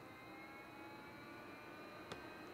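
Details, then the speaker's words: Apple iMac G5 that won't boot, at the boot picker with no operating system: steady high whir of fans stuck at full speed, strong breeze from the exhaust vent, no hard drive clicking; fans running at full speed. "oh my gosh this thing is gonna take off I can feel a nice breeze from the exhaust vent holy crap"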